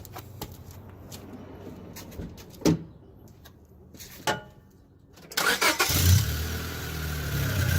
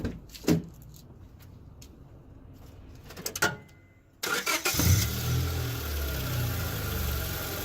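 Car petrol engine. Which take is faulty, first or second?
first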